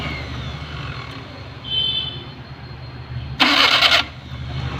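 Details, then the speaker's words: Maruti Suzuki 800 with old-model carburettor engine: intermittent harsh half-second "krrr" grinding rasp as the starter engages over the running engine; sometimes starts fine, sometimes only grinds; starter grinding. "ചില സമയത്ത് നമ്മൾ എത്ര start ചെയ്യാൻ നോക്കിക്കഴിഞ്ഞാൽ ക്രിർ എന്നുള്ള ഒരു sound മാത്രമേ കേൾക്കു"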